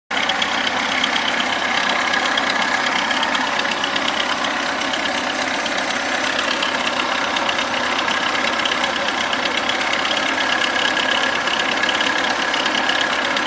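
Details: VAZ 21011 (Lada) idling: steady idle with a loose, uneven tapping over the hiss; knock in the engine, cause not identified.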